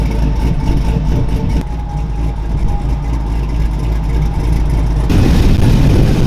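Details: LS-swapped OBS pickup, 6.0L V8 with Brian Tooley Racing truck cam, 4L60, after valve covers, plug wires and coil relocation and the engine noise fixed, awaiting tune: low, steady idle, even rumble, no knock or tick; normal idle.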